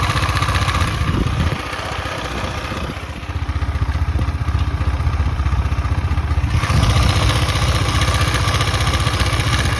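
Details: KTM Duke 250 at 12,000 km, idle: light rapid tapping over the exhaust thump, a dip and recovery in revs; owner unsure if clatter is normal, origin unclear.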